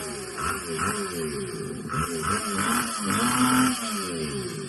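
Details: Honda pocket bike just restarted after sitting for 6 years: an uneven two-stroke buzz that surges and sags in pitch and won't hold a steady idle; the owner suspects it needs a carburettor adjustment or is still clearing out deposits.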